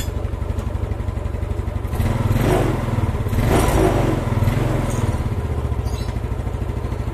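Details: Old Yamaha Mio single-cylinder scooter after valve clearance set slightly loose to cure hard starting: even tick-over, picks up cleanly on two short throttle blips and settles back; runs fine, carburettor still to be tuned.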